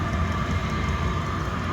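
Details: Chinese diesel heater, rated 2 kW, tested after six months unused, exhaust vented through a wall: constant low roar with a steady fan whir on top, no sputtering or surging; fired up first time, burning cleanly.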